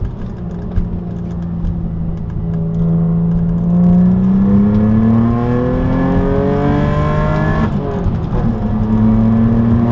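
Smooth, strong pull with the engine note climbing steadily, one brief break at a gear change, then rising again; a healthy turbo engine.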